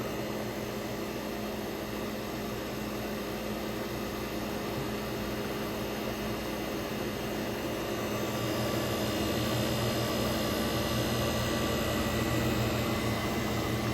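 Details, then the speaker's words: 1965 Fedders Weather Wheel air conditioner (115V, 12,000 BTU/h) with a Tecumseh AJ reciprocating compressor, AJM15-94, running with its fan: a steady, even hum with smooth fan rush and no knocks or rattles; the compressor head is cold. Operation is normal. "So it's pretty much operating normally, because we do have the one fan in there."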